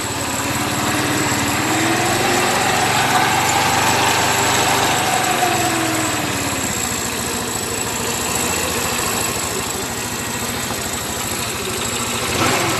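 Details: Vehicle with a push-start button that would not crank because of a faulty brake light switch contact; after repairing the switch it starts and runs a steady, even idle with no knocks or misses. Normal idle.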